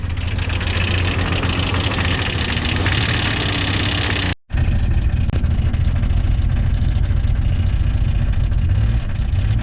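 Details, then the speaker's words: Jeep XJ bought for $200, driven after a year of ownership: rough, uneven low rumble with a lumpy beat while driving, one cylinder dead, running on five. "there's a delightfully fine racket for the engine to make you hear that"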